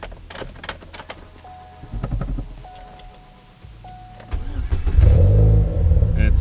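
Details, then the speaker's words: Chevrolet Cobalt starting up after its cracked flex/down pipe was replaced with a new flex pipe. The engine catches and settles into a low, even rumble, with the previous loud exhaust roar gone and the sound now at the rear. This is a normal start after the repair. "lot quieter and the sound is all back at the back now and you come up to the engine compartment up here and [Music] I can hear things running now so got that fixed"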